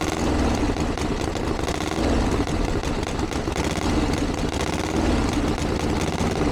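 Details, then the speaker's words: 1982 Harley-Davidson Ironhead Sportster after two years of tinkering, started on choke with timing reset; loud open exhaust, lumpy even V-twin tickover without stumbles. Idling better than ever, though owner feels it's slightly lean under acceleration and needs further tuning. "I can't believe that that's fantastic that's a lot better than it's ever been probably still needs a little bit of darling and it feels a little bit lean under acceleration but we got a basic starting point now to go from"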